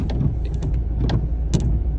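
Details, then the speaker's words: VW T5 Transporter windscreen wiper, parked with engine idling: dull knock each time the wiper reaches the bottom of its sweep as it hits the frame; common problem. "you can hear a knock there as it goes down the bottom, look."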